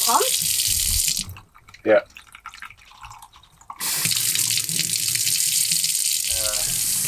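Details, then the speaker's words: Skoolie off-grid water system after a pressure test: a steady rush of tap water into the sink, heard through the pipes below, draining freely with no gurgling or backing up. Normal sink drain flow. "leave that one running you can hear the water coming through the pipes down there"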